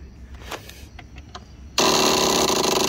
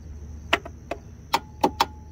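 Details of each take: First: Husqvarna YTH21K46 riding mower, Kohler SV610-0212 engine, that just clicks and won't crank: harsh rapid solenoid buzzing chatter in bursts while the key is held, no cranking; only about 7 volts reach the starter wire. Low battery voltage; not solenoid or starter. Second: Husqvarna YTH21K46 riding mower, Kohler SV610-0212 engine, with a 300 CCA battery: five crisp, solid solenoid clicks each key turn, no weak chatter; full 12.4 volts reach the starter wire. Normal starter solenoid click.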